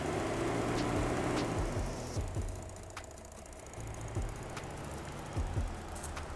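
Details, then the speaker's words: 1995 Subaru GC8, ignition on with green test-mode connectors plugged in: fan rush rising and falling with relay clicks as both radiator fans cycle on and off; normal fan operation, checking for overheating. "You would check if your fans are working by plugging up the green connectors, putting it on ignition on, and you just go up here and you just take a look at the actual fans. You can physically see them turning on and off."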